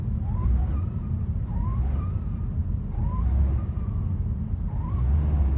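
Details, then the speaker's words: Mitsubishi Lancer GT accelerating, especially on cold start: engine rumble with faint high squeal rising in pitch in short bursts between 1,000 and 2,000 rpm. "got this weird noise happening on acceleration especially cold starting it's more of like a squeal noise"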